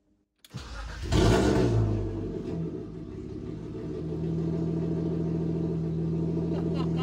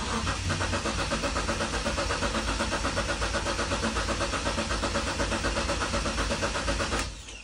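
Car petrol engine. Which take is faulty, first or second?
second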